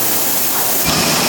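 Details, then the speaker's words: 1912 Otto single-cylinder gas engine, 150 hp water pump (former Brookville PA water works, Coolspring museum): loud steady rush of compressed air spins the big engine over, building rhythm and speed before it fires; normal air starting. "Alright, so he's air, going around. He's got to get like in a rhythm. Yeah, he's got to get up to speed, and then it'll take off."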